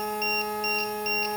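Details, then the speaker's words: WLToys Sky-King F959S RTF glider with brushed motor on a 2S 300mAh lipo: steady hum with quick paired beeps. Resting cells read 3.81/3.80 V but sag to 3.5 and 3.4 V under throttle, triggering the low-voltage alarm. Voltage recovers as the stick is lowered. "one is that 3.4 so watch it recover see as I lower the stick you recovered your voltage so to a certain extent and that's the way all lipo's work"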